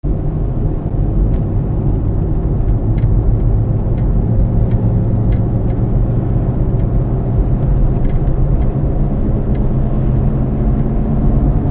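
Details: Moving car with a steady deep humming growl rising over road noise, increasing as driven: worn wheel bearing.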